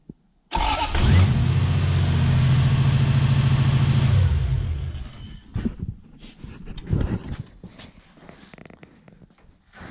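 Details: Toyota 1UZ-FE V8 in a ute restarted with the diagnostic flag pulled, timing shifting about five degrees: cranks, catches and holds a fast, slightly uneven idle before shutting off. Timing reads 40° instead of the 10° mark; cam timing may be out, unconfirmed.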